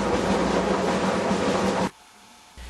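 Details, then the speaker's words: Whirlpool dryer running: a loud, rough, train-like rumble and rolling clatter, pointing to worn drum support rollers. "if you dry start making noises and the noises get louder the more you use your dryer until the dryer sounds like a train you'll need to check the drum support rollers"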